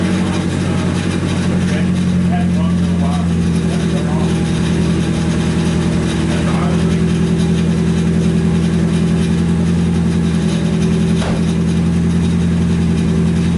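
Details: Nissan 240SX S14 after SR20DET engine swap, first start once a half-plugged fuel pump connector was fixed: steady even idle, smooth low drone, no knocks, ticks or hunting; warming up while bleeding air from the cooling system.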